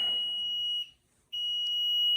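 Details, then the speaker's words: Newly installed basement HVAC system sounding a steady high-pitched alarm beep that cuts out briefly and resumes, with a two-flash fault code; a shut-off valve found turned off, cause not yet known. "There's my beautiful system I installed. And here's his 2 flashes and an alarm."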